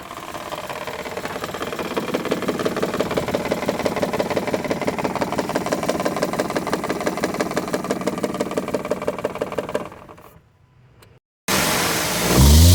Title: Maruti alto k10 check engine light blinking and misfiring complaint